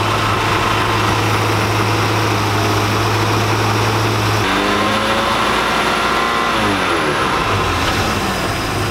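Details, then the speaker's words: 1999 Chaparral 1930 SS with a Mercruiser on fuel one to two years old, temperature about 150: steady low idle, then a rev that rises and falls back cleanly to an even idle without hunting; normal return to idle. "she goes right back an idol that's nice"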